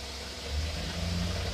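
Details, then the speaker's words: Carbureted engine on a test run with a deluxe Rochester two-barrel carburetor with electric choke; rumble climbs smoothly as the throttle opens, no hesitation or stumble, and it pulls strongly under load; normal acceleration. "Man, that sounds sweet. Accelerate sweet. No hesitation. No stumble."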